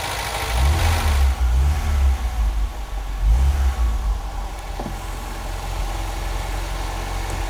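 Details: Barn-find classic Ford Fiesta, first start after years in storage, cold and on choke: a couple of blips, then a steady, even fast idle with no knocks or misses; running healthily.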